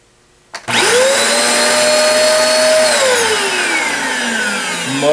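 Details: Eureka AirSpeed One vacuum cleaner after clearing blocked airflow to the motor, which had made it run too loud: strong, steady motor whine rises quickly to an even pitch and holds smoothly with no rattle or surging; it now runs normally.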